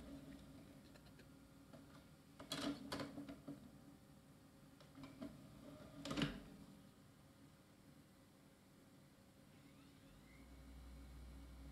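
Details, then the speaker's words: Scrapyard optical drive from 2003 reading a DVD: a quiet whir and soft seek clicks, then a smooth, steady spin hum. The drive is fully working. "so this drive seems to be fully working a drive from 2003 so that's great"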